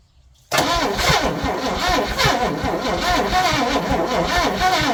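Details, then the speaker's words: 1961 Chevy Impala four-door, sat 20 years: silence, then the engine catches at once and keeps running with a slightly lumpy, loud idle; engine starts and runs. "so she needs an alternator or generator but she runs she runs"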